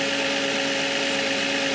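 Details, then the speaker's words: 2005 Nissan Maxima at idle, hood open: steady high-pitched whine, absent at first start then developing as it runs; owner suspects the alternator is failing (battery reads 12.9 V). "so I think the alternator is going out on the Nissan started making a whining noise"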